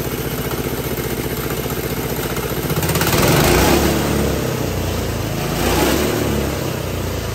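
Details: GX200 Honda-clone single-cylinder go-kart engine on hydrogen with pure water injection: steady thump swelling on two throttle blips and settling back, firing evenly without stumbling; smoother than pure hydrogen, especially at operating temperature.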